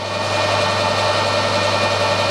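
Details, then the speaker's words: SNNC 165 lathe with ER40 collet chuck after final setup, runout within 1.5 tenths at the chuck and 2 thou at 10 inches out: steady even motor hum, no knocking or wobble, spindle running nice and true. Normal running. "So that's now running nice and true."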